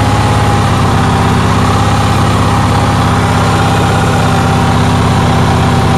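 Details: Onan generator in cold weather, with a steady, fast, even drone and no dips; it idles very high, cause unknown, after the owner found the fuel pump got too little voltage while cranking.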